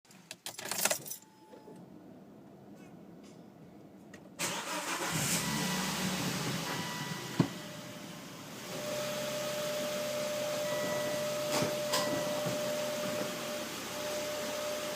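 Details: Volvo V70, cold engine after the oil trap and the hose to the oil cap were replaced: steady thin whine over the idle. It stops when the oil dipstick is removed and is absent when warm; the car runs well. Crankcase ventilation suspected.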